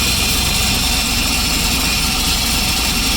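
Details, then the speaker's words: Turbo IROC with freshly rebuilt engine (new rotating assembly, slightly raised compression): loud steady hiss over a lumpy idle, no pitch change, because the blow-off valve was left unhooked; its open port is a giant vacuum leak. "Like a giant vacuum leak is what that is."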